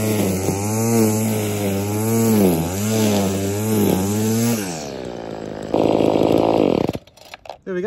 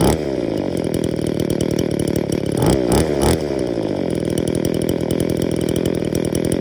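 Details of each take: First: Trash-picked two-stroke saw after full service: new metering diaphragm and foam air filter: starts and revs cleanly, steady buzz rising and falling with throttle, then shuts off; normal running. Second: Trash-picked two-stroke engine before service, low-speed screw set richer to idle, suspected air leak into carburetor metering side: steady buzzing run, throttle blip burbles rich instead of clearing; faulty carburetor metering diaphragm.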